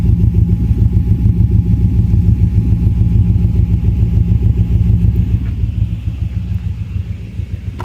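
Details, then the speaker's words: Warm-restarted engine after city stop-and-go driving, parked a few minutes: heavy uneven lumpy idle, engine shaking, near stalling, bad exhaust smell, RPM steady, then smoothing out; possible misfire suspected. "Give it some gas. Nope, trying to stall. It just sounds like shit. It's not smooth."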